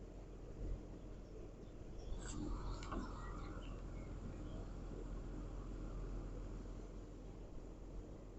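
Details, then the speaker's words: Air-to-water heat pump (2015 unit, bought non-running and repaired), compressor running and water warming: steady, low, even hum with a couple of brief clicks early on, like a fridge. Normal compressor operation. "So this part of it just sounds like a normal fridge."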